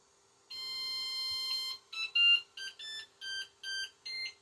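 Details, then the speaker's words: Flashforge Adventurer 5M 3D printer powering back on after a restart during firmware update trouble: a long bright chime then seven short musical bursts, played cleanly once; normal startup jingle. "You get flash forge on the screen right there. Then you'll hear the jingle uh here in a moment once it catches itself up."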